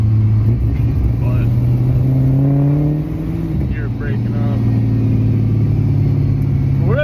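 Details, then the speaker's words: LS V8-swapped BMW E60, tune still being sorted and running fairly rich with target AFRs to adjust, driving at quarter throttle: uneven stumbling drone sagging and surging, breaking up and wanting to die, yet pulls hard at full throttle; cause unknown. "reason, it just sometimes it'll just break up like crazy. I'm quarter throttle on it. Just wants to die, but it's ran good for this whole time and then it just hauls ass if I get on it."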